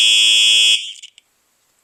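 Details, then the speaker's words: Simplex 4903-9238 fire alarm horn (1999 date code), horn only: steady, high-pitched electronic blare for about three quarters of a second, cutting off cleanly with a faint crackle at the end; normal alarm horn. "now we will be testing the uh horn only it's supposed to sound like a true alert um but in a deeper tone"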